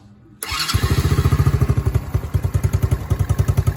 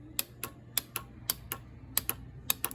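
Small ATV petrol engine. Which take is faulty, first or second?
second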